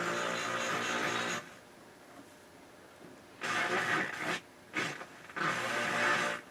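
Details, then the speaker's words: Rotel RX-802 vintage receiver: FM station audio cuts in and out, crackly and distorted with hiss between bursts and a loud background hum, even on strong stations; AM works fine. FM tuner faulty, weak reception. "definitely got problems in the FM tuner for sure"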